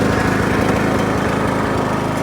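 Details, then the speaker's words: John Deere L100 riding mower, 17 hp single-cylinder, revived after not running, freed-up seized parts, steering still tight: engine running steady and even, no misses, stumbles or surging; normal running. "just like new now other than the steering the steering is still a little tight"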